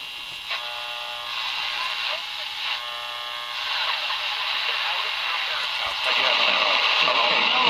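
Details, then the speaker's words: Emerson 336 AC/DC tube radio after repair: station audio comes through clearly and steadily over some shop hiss and buzz, with no crackle or fading; radio working well. "I don't say that radios working pretty good considering all the noise I got in the shop here"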